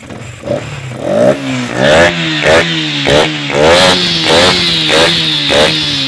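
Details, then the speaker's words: Yamaha Sniper 155 just after timing chain tensioner replacement, fuel filter and FI cleaning, first fire with airbox open: quick clean rev blips with loud hissy intake rush from the throttle body. Healthy running, intake noise from open airbox. "Yan ang ingay niya. Lagi kaya ito tumutunog ng ganito kasi bukas pa yung airbox niya."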